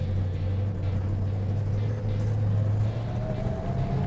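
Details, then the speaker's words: Restored Road Runner with a Hemi and an old four-speed crash box rebuilt by a shop (new synchros, damaged gears replaced), heard driving: a thin steady whine over the engine rumble, climbing a little with road speed; normal old gearbox whine. "There's that old Hemi four-speed wine. Nothing you can do about that. It's an old crash box."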